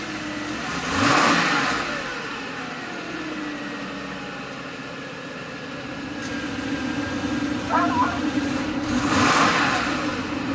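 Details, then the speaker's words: Mercedes S500 W140 with rotten-egg sulfur smell, suspected failing catalytic converter: quiet idle with two short blips where revs dip a couple hundred rpm instead of climbing; owner's friend suspects clogged cats restricting exhaust. "still got that thing where if you like just put your foot on it it goes down a little bit my friend was telling me man that's the cats it's just not allowing the exhaust in the back"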